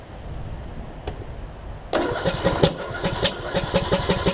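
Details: John Deere D110 mower after a rebuild following a loose flywheel magnet: uneven cranking thumps, about two a second, with kickback and no start. The owner suspects ignition timing is off, possibly from a sheared flywheel key.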